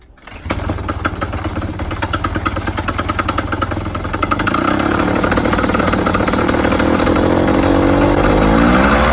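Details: Fresh Breeze Simonini paramotor startup after belt replacement: engine catches within a second, settles into steady even buzz rising smoothly, no repeated belt chirp; belt tension fine.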